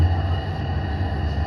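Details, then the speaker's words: Washing machine that would not spin because its drive belt was loose: drum now spinning with a steady low hum and even drone, no knocking or slipping; normal spin. "Sekejap, dia tengah spin. Kita tengok. Okey ni. Dia berputar dengan baik."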